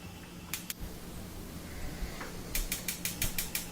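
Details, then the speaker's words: Wolf gas range back burner: sharp rapid igniter clicking about five a second over a low hum, continuing after lighting. "I noticed though the back one was having trouble where it just kept clicking too, so wanted to do the same procedure to clean that up."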